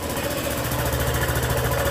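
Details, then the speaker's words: Honda PCX scooter after tire change, exhaust sealing gasket ring left out: steady idle with a loose, rattly chuff on each firing pulse as exhaust gas leaks at the exhaust port. "E ela tá fazendo um barulho horrível. Um barulho tipo de alguma coisa que tá solta lá. E isso provém do anel de vedação dela."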